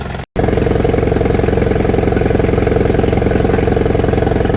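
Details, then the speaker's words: 1959 International Harvester B275 diesel tractor, after the auction purchase, now running with tyres inflated and no longer smoking: steady clatter at a noticeably high idle. The fast idle needs adjusting; the owner expects an adjustment point in the manual. "It's stopped smoking. Although it does idle fast. Um there there must be an adjustment for that somewhere."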